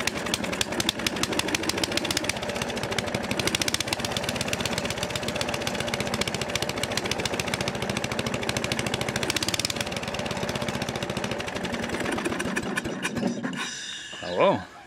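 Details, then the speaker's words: Briggs & Stratton 13 hp battery-start engine on an old heavy-duty scrub mower, unused for years, with old fuel drained from the rusty fuel bowl and fresh fuel added: rapid, even single-cylinder firing, no misses or knocks until shutoff; loose muffler noted. "sounds okay actually um i see this muffler swabbling around see if i can secure that on a bit better"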